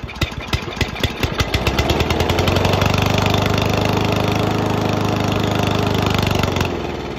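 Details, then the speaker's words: Toro commercial 22295 mower with a Honda engine, sat all winter, primed with brake clean. It cranks, runs evenly about four seconds, then dies suddenly as the primer burns off. Suspected carburetor issues or old fuel in the bowl; tank fuel is fresh. "Have some carburetor issues, maybe just old fuel in the bowl."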